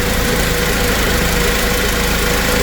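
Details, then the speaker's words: Toyota 2TR-FE (Tacoma/Hilux/Hiace) power steering pump after repair. The clogged reservoir filter screen had starved the pump and run it dry; it was fixed for about $30. Steady, even engine hum with no whine or groan: the pump now runs normally. "the reservoir filter inside there that I showed you causing the pump to run dry I've spent 30 bucks on it and now it's basically fixed for 30 bucks"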